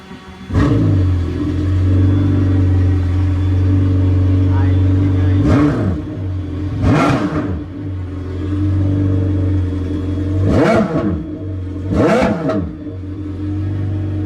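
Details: Yamaha FZR 1800 jet ski on water test after fixing no-crank no-start caused by loose negative relay contact: steady low drone with five throttle blips climbing and dropping cleanly; engine pulls freely and sounds healthy.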